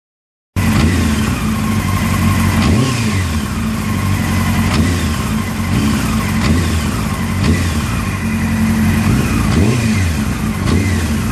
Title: Honda CBr 600 F3 Rattling sound when throttle from idle